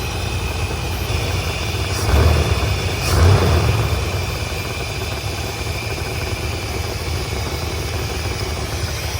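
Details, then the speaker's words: 1984 Chevrolet C30 crew-cab dually, 454 big-block with Quadrajet carb adjusted: steady low V8 burble with a couple of blips, settling to an even idle estimated by ear at about 1,000 rpm, down from roughly 2,500 before; normal idle. "It's idling down. It's probably idling at 1,000 RPMs right now. I could back it off a little bit more, I think."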